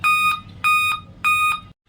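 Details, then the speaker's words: Dell Inspiron 3542 laptop won't start, giving clear high beeps about 0.6 seconds apart, a 5-beep power-on error code; the battery is removed first when troubleshooting. "तो देखते हैं इसमें कहां से ये आवाज आ रही है फाइव वेप की।"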